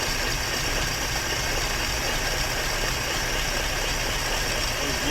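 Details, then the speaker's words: 1958 Chevrolet Bel Air carbureted engine, first run after sitting since 1993, running off the carburetor on poured-in gas, still cold: steady even idle, smooth low rumble, no knocks, ticks or smoke; normal idle. "you hear it you don't hear anything and it's running out of gas there's no knocks no ticks no smoke"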